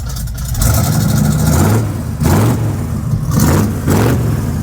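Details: Quick listen test of a V8 truck with race bullet mufflers; deep even rumble, throttle blips rise and settle back smoothly; normal idle and revs, healthy engine.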